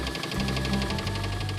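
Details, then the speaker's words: Oldsmobile 307 V8 in a wagon running on old fuel in the tank: a rough, regular deep knock under loud mechanical clatter that gets worse. Engine blown; a rod knock is suspected, not confirmed. "The engine is blown up. Sounds like a rod knock or something good."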